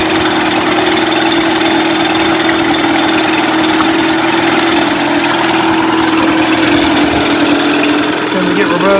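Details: Mercury 8HP two-stroke outboard, sat unused for an unknown time, running in a water tub on its first test start after firing on the second pull; a steady buzzing note holds even speed through gear shifts with no misses or knocks; normal running.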